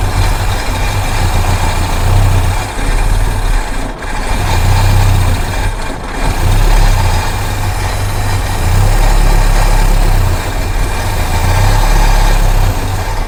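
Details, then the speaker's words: 1973 Mustang Mach 1, sitting 15+ years: steady cranking about four beats a second that never catches; no start from fuel starvation, with no fuel coming from the tank. "We need to replace the line from the fuel pump up here, and then we're not getting any fuel from the tank."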